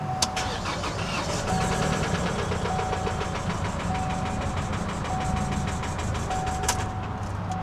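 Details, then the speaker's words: 2019 Chevy Colorado Duramax diesel, 80,622 miles: fast, steady metallic knock over the diesel clatter at start-up that does not settle; internal knock, engine shut down. "I do not want to run it long with it sounding like that."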